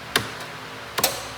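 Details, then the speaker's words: Scag mower PTO, deck not binding and the belt can't move freely: two sharp clicks about a second apart when the switch is turned on, with no clutch grab or blade spin-up; suspected clutch fault, with voltage at the PTO plug still being checked. "watch is definitely coming on. Still nothing."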